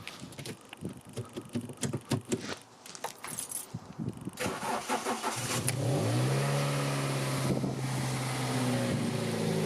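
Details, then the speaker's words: 2003 Toyota Corolla 1.6 VVT-i rescued from scrap, restarted after tightening a screw, no new intake gasket: initial clatter, then catches and settles to smooth, steady idle with even hum and no rattle; fixed. "oh my gosh it's actually fixed"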